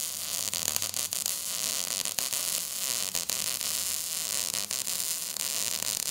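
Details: MIG weld run dragging in a C pattern after a tack: steady frying-bacon crackle with occasional sharp pops from hitting some spots; mostly good weld with good penetration and some popping.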